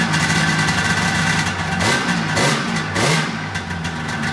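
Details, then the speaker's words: Polaris RMK 800 snowmobile two-stroke during teardown rebuild: crisp revs climbing and dropping cleanly with quick throttle response, no knocks; sounds pretty good, though track still won't turn, brake suspected. "Jumping up when I hit the throttle, it's fucking hilarious. So it actually sounds pretty good."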